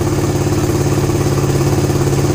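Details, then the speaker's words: Suzuki GSX-R150 with a NOBI Neo SS aftermarket racing exhaust, held steady at 2000 rpm (where it usually stutters after an exhaust swap) after the fix; fires smooth and even with no stutter or misses. Normal steady running at 2000 rpm. "Gue coba nah, ini RPM 2000 gue tahan di RPM 2000 enggak berbet sama sekali."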